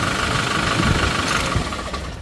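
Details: Hyundai Porter2 D4CB diesel with blowby, black smoke and diesel mixing into the engine oil. A loud, rough idle with harsh clattering knock; source not pinned down.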